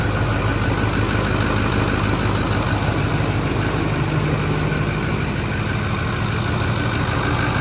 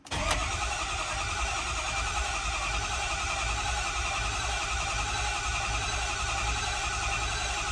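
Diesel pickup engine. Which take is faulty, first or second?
second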